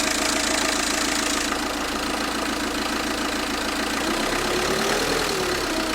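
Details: Citroën Xsara 2.0 HDi 90 hp diesel: a rattly clatter from the timing-belt side that changes with engine speed, caused by a dead crankshaft damper pulley.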